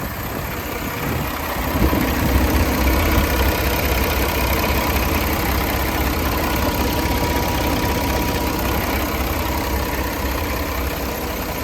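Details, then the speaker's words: 2018 Peterbilt 389 with a Paccar 510hp engine and 18-speed, 716,000 miles, heard under the hood with the oil filler cap off. Steady, even diesel idle with a deep rumble and no knocks or misses. No blow-by; it idles normally. "I'll let you listen to it running. I won't do a lot of talking because it's hard to hear with the engine running."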